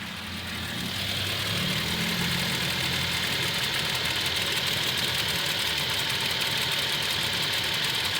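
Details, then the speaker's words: Toyota Tacoma petrol engine, well maintained, at idle near operating temperature: light regular tick about three per second from the driver side, louder when warm, slight engine shakiness; owner suspects defect, dealer says normal. "in there you go you can hear right here that's not normal see it sounds louder after each his operating temperature but you got to let it idle in order to really hear"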